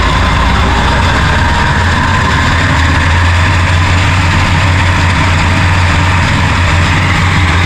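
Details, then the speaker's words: Tractor-driven pasture topper after new bearings were fitted, running on the PTO: a loud, steady low drone from the tractor and topper drive, unbroken throughout with no knocks or grinding. Normal running. "We'll fire it up and you can listen to the absolutely terrifying noise, which is a pasture topper."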